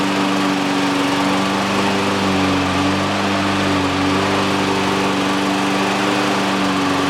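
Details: Exmark Commercial 21 walk-behind mower, Kawasaki FJ180 engine, after repairs including a new primer bulb: steady, even single-cylinder drone at constant speed with no misses, surges or knocks; normal running.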